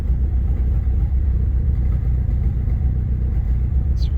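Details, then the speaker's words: 1997 Eagle Talon 420A non-turbo petrol engine idling around 1,000 rpm with a deep, uneven stumbling chuff, misfiring; sputters more on quick throttle, heavy exhaust smell and lots of smoke, tapping heard. "I just got this 97 Eagle Talon. Idles it, it's misfiring."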